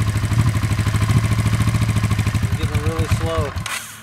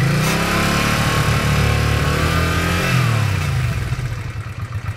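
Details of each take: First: 1986 Honda Shadow VT500 V-twin, water-cooled, 27,000 miles, cold start with choke on: uneven lumpy idle falters and the engine dies; stalls when cold, owner says it needs about 5 minutes of warm-up before throttle. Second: 1986 Honda Shadow VT500 liquid-cooled V-twin, 27,000 miles, warmed about 5 minutes with choke off; picks up cleanly, holds revs, settles to even lumpy idle. Cold, it has a slight throttle issue: normal throttle response when warm.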